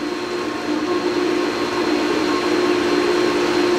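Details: Sta-Rite Max-E-Glas 2 pool pump after replacing the motor, whose bearings had failed with a loud screech after 11 years: new motor runs with a smooth, even, quiet whir and no knocks or grinding; normal.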